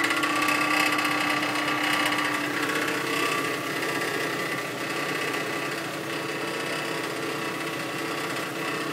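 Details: 2005 Nissan Xterra with a weird buzzing noise: a fast, fairly even mechanical buzz of about four pulses a second over a thin whirring engine tone.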